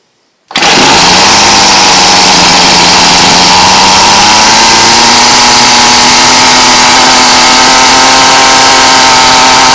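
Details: Ryobi weed eater after fuel line replacement, primed and started on half choke: catches instantly and holds a high, steady buzzing run, pitch creeping up slightly as it warms; running properly.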